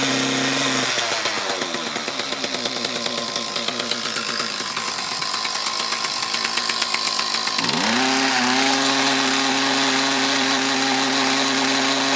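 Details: Mantis tiller with Kioritz Echo two-stroke engine, after cleaning around carburetor and fuel lines: buzzes, dips, then snaps cleanly to high revs with no bog on acceleration; idle still not quite right.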